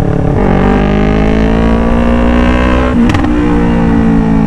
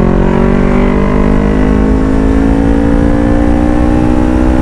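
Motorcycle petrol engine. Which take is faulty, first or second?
first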